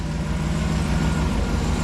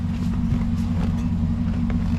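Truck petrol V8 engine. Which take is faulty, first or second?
second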